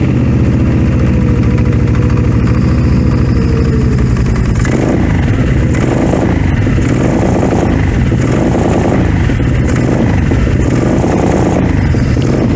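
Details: Cheap used four-wheeler ATV after a choke repair: steady low idle then sharp throttle blips revving up cleanly and dropping back; loud exhaust but runs well; separate clutch problem makes it creep forward.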